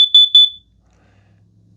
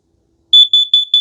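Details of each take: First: Kidde plug-in gas and carbon monoxide detector, plugged in, test button pressed once: three sharp, very loud high-pitched beeps then quiet room hum; self-test working normally, display showing all eights. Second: Kidde plug-in gas and carbon monoxide detector with 9-volt battery backup, test button pressed: after the gas beeps, four quick shrill beeps follow, the carbon monoxide alarm pattern.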